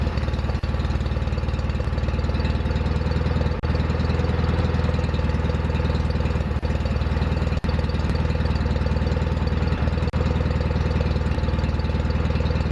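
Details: Restored John Deere 316 lawn tractor running after restoration: even low throbbing idle with a steady beat and only a few brief dips; the engine runs smoothly.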